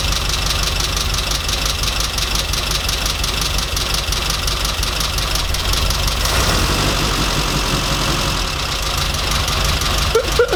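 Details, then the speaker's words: Mini 998 engine leaking below the head gasket line, awaiting a new composite head gasket: rough, uneven idle with a recurring stumble; misfire at idle, owner hopes the gasket will fix it. "So yeah, that's not great. It's got a bit of a misfire, and hopefully the gasket will sort it out."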